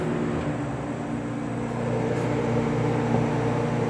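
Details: Vintage dehumidifier (Sahara 20 or Kenmore) running on a hot, humid day of about 80°F, drawing roughly 520 W: steady low hum with a smooth, even drone and no rattles or knocks; running quietly and healthy.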